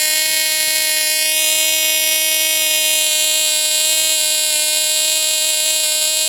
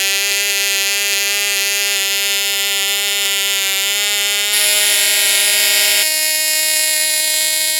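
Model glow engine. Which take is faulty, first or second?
second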